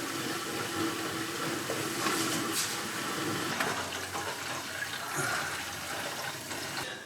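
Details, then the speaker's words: Reef aquarium overflow drain (Waterbox Peninsula) during gate-valve tuning: constant rushing water with uneven gurgling and splashing up top as air is drawn down because the primary drain isn't on full siphon; overflow drain gurgling. "but we'll know that we've properly tuned this overflow system when we've got no bubbles in the overflow system or minimal bubbles, and we don't have that gurgling noise you can hear up the top."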